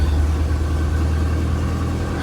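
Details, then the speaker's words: 1964 Ford Thunderbird after a no-crank fault traced to a misadjusted neutral safety switch (shifter not fully in park), adjusted and cleaned with contact cleaner: freshly started, slightly cold engine idles with a smooth, even low rumble, running clean. "all right so got her running clean and adjusted our neutral safety switch"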